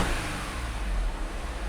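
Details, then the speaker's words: Rebuilt Audi S5 engine with upgraded 034 Motorsports pistons, warm after test starts, exhaust refitted, codes cleared: runs smooth and even with a steady low rumble, earlier misfire gone; high-pressure fuel pump ticking is normal. "Whoa, that's really weird. It's running perfect now."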